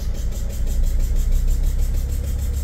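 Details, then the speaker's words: T1N Sprinter diesel with severe "black death" injector leak and carbon buildup over 23K miles, injector hold-down claw removed: idle with a sharp hissing puff each pulse as the unseated injector blows past its seat, venting vapor. "there's no uh there no claw there no bracket holding it down okay there's less Vapor coming out now which is interesting"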